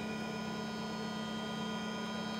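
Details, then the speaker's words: Creality CR-10 3D printer after Noctua hotend fan and dampers on other steppers: steady mid-pitched buzzing hum with thin whine while printing from the Z-axis stepper still without a vibration damper, plus control box and part fans. "oh my god Wow all you can hear now is the c-axis nothing else and of course the fans from the control box and this part cooling fan those he can hear as well"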